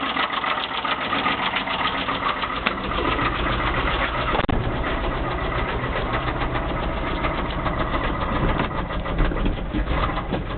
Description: 318 V8 with a bunch of miles on it, knocks very loud.